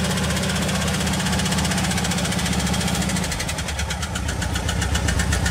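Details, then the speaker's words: 2006 Jeep Liberty engine, freshly re-ringed, after water pump replacement: fires up and settles into a fairly even idle with a light steady patter, very slightly unstable; valve lifters on one side apparently need adjustment; normal idle. "Está muy ligeramente inestable el motor, pero se oye perfectamente bien. Jala bastante bien."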